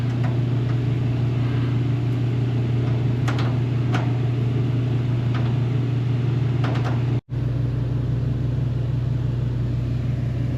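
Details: One-year-old Mr Heater Big Maxx heater with a replacement motor/fan running: a constant deep hum with a coarse buzzing drone, shaking its mounts and power line badly. Owner suspects bent fan blades; loosening the mashed rubber-washer mounts eased it slightly.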